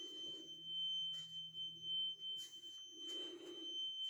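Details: Carbon monoxide alarm going off around 1:45 am, recorded while walking the hallway and rooms searching for it; a steady, piercing high tone holds without a break over faint footsteps and shuffling, later found as a small box on the floor.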